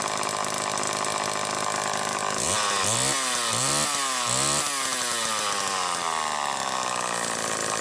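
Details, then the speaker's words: Late-1960s Homelite EZ 2.1 cu in chainsaw after repair, warm, no choke, 50:1 mix: two-stroke blips then settles to steady even idle with no speed change side to side; crank seals appear good, normal idle. "okay i'm actually impressed with how good this saw idles and you saw there was no change of speed side to side like that so these crank seals appear to be in excellent shape"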